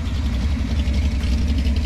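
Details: 1966 Ford Mustang 289 V8 idling after timing cover gasket replacement, with 2.25" Purple Hornies exhaust: deep, even rumble with a steady beat and no ticks or knocks; smooth, healthy idle.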